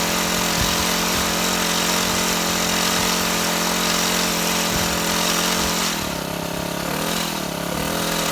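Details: Shindaiwa HT2510-40 hedge trimmer, C4 low-emission hybrid engine, after new carburetor and clutch: buzzy high speed that sags and wavers instead of pulling cleanly; runs terribly, low power, further checks needed.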